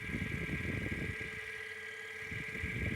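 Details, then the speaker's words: Sole F85 treadmill that had sat unused for a long time, running at 3 mph with the microphone held close to the drive motor: a steady high-pitched whine over the motor's low rumble from a worn bearing inside the drive motor. "and that high pitched humming or that high-pitched whining noise is the bearing inside the drive motor"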